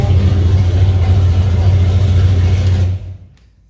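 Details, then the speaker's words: Mustang, low-boost street tune, warmed up at 182 coolant, after adding fuel enrichment table (previously died on snap throttle): snaps up crisply from idle and falls back without stumbling or dying; clean throttle response. "anyways i said you could never snap it kind of it would die it always slowed up if i learned anything at all yesterday i found that fuel enrichment table"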